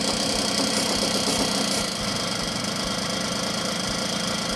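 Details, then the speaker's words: 1979 Puch moped, air-leak test with the carburettor loosened after a throttle blip: the buzzy two-stroke idle sags only slightly and keeps running evenly without dying. No air leak; normal idle. "You can now hear that it turns a little lower, but it doesn't die off. So actually, that's the cooling. Carburettor is now no longer tightened and you can actually see that it still runs fine."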